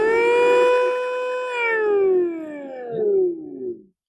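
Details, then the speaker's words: New replacement electric power steering pump for a Mini Cooper R50/R52/R53, bench-tested before installation by feeding control power (green) and start signal (yellow) wires, mic close. The motor spins up to a clean steady whine, holds, then winds down smoothly; normal running. "So now we can say we can definitely know that pump is starting and working as expected."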